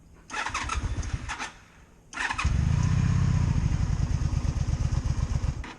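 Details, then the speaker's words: 2002 Honda Magna VF750C under rebuild, cold start on choke: two short cranking bursts, then it catches and settles into a steady, even burble; clean normal cold start. "Alright. Time for a cold start. Alright, so that's good. That's on. Choke out and start."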